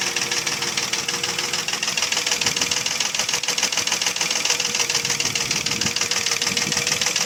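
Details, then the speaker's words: Mercedes ML320 with M112 3.2 V6 on a thin idle with sharp, fast, regular metallic knocking about three per second: piston slap, pistons loose in badly scored cylinders (engine not sleeved from factory). "Но суть того, что задиры, это стук из-за задиров. Поршня болтаются в гильзах. И вот этот стук издается такой."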